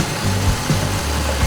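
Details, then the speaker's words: 1994–2004 Mustang after replacing a noisy power steering pump with a rebuilt one, fluid bled and level lowered, wheel turned at idle: smooth even idle, no whine or groan; normal power steering pump. "our steering nice and quiet there's what it was repair is done"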